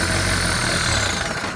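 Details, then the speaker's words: VW T4 diesel van, sat four years, first start after fuel system overhaul with glow plugs: catches, runs rough and smoky, then sags and stalls; air still in the fuel system being bled out. "oh it's dead it's dead yeah so go again yeah we'll just climb it get that air out"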